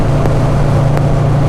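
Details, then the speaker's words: 2004 Buell XB12S Lightning V-twin, cold: steady lumpy idle set a touch high and hunting; owner suspects too little cold enrichment, says it smooths out once warm; high idle surge. "So it kind of, it's not smooth. It's not smooth at all while it's like that. But then once it warms up, it holds idle pretty good."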